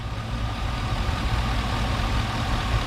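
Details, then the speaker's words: 2004 Chevy Silverado 1500 after new alternator, belt, alternator pulley, tensioner and battery: starts right up, steady even low idle rumble with no knocks, squeals or belt chirp. "You heard how this starts up. It starts right up. No problem."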